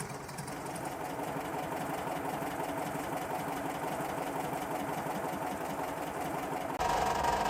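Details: VW T1 splitwindow bus during restoration, engine idling: a fast, loose clatter of about four beats a second from a hinged door with no seal rattling against its frame.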